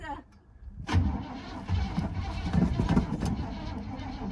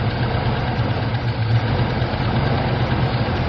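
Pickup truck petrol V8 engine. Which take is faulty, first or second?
first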